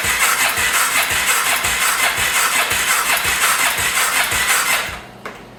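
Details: 2014 Polaris Sportsman 570 ATV on first attempted start after top-end replacement, decompression system broken during cam installation: starter churns steadily at roughly three pulses a second for five seconds, never firing, then stops. Cranks but won't start; owner suspects missing air filter/back pressure.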